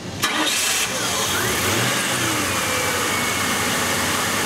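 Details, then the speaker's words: 1999 Ford Crown Victoria 4.6, towed in: cranks and starts but will not idle without foot on gas, stalls; runs smoothly with slight throttle, no trouble codes; idle air control valve stuck closed. "the vehicle runs but will only run with your foot on the gas pedal so go ahead and start that for me and let's take a listen don't put your foot on the gas just crank it do it a couple times so you hear it will not idle"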